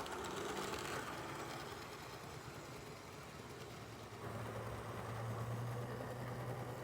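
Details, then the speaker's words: Model train diesel locomotive running on a layout, fast steady buzz with a regular thump about three per second following motor speed; owner suspects a split gear; rhythmic thumping. "Kind of sounds like this diesel has a split gear. You can kind of hear that like thumping noise."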